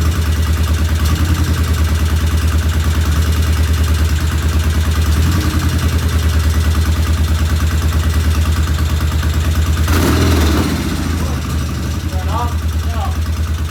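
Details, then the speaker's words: 1975 Norton twin at its first start after carb tickling, with low compression noted (40 psi); it idles with a sharp, regular tick of about three per second over the exhaust beat: one valve tappet is loud, tappets to be checked. "All right, we have a runner, but it sounds like we have one loud tappet."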